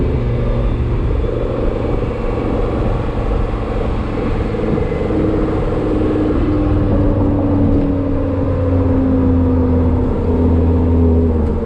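Steady engine drone with a faint tone sliding slowly downward over the road rumble, a mild whine whose source isn't clear.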